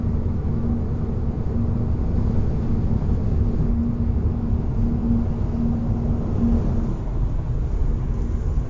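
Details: 2021 Hyundai IONIQ facelift, driving 50–140 km/h: steady low hum with a faint whistling tone over road rumble, louder with speed, unchanged in neutral at 130 km/h or after swapping winter to summer tyres; source unclear.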